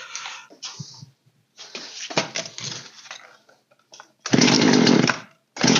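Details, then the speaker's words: Old Poulan 3616 chainsaw on first start after carb setup (low screw opened 1.5 turns, high 1 turn); short raspy bursts that catch and die within about a second each time; it stalls after starting because idle is set too low. "like hear how it died right away that means our idle needs to be raised"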